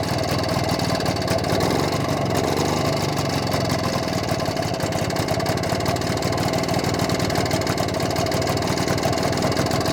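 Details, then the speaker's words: BSA D7 Bantam two-stroke under restoration, after a fine tweak: busy, even idle holding steady with no misses, running smoother than before. "foreign running a little bit smoother foreign ly running a bit smoother than it was"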